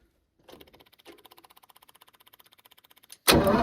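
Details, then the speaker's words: Lincoln SAE300 welder with a Chevy inline-six, spark plug grounded on a wire for testing: about two seconds of steady starter chugging, never firing. No spark, before ignition circuit repair. "sparking nope all right so yeah it's going to require further Diagnostics cuz definitely definely a no spark issue"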